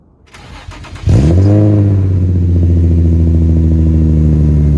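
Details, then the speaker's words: Infiniti G35 with newly installed AAM Competition 2.5-inch test pipes, cold start after sitting 4–5 hours: it flares up, then settles to a low idle with a raspy edge. Owner suspects an exhaust leak and smells more fuel. "So that's how it sounds. It's a little bit raspy. It honestly sounds like there's an exhaust leak, so I'm gonna have to look at it and find out."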